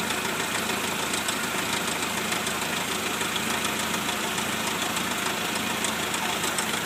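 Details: 1999 Jeep TJ at warm idle: light, fairly regular tap about a hundred a minute; knock occurs only when warm, does not get louder when driving; source unknown.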